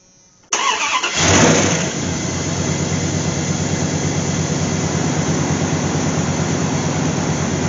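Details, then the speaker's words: Old Dodge truck after fuel pump replacement, fuel pressure now 40–50 psi (was 10): it catches after a brief crank, flares, and settles into a steady, even idle with no misses; a squeak is also noted. "it I think it's safe to assume it was the fuel pump guess I've been playing with carberator too long I thought 10 lb was enough listen to that woo 50 lb yes that's a lot"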